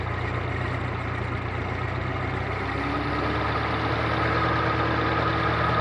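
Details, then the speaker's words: Continental F124 flathead from a fire-damaged 1952 forklift, first start after carburetor set to factory idle and mixture specs, still cold: steady even low rumble, smooth firing, no knocks or misses, little smoke; engine runs healthy. "well that certainly worked out well that sounds pretty darn good doesn't seem to blow a whole lot of smoke uh it certainly fired right up i'm really happy with that"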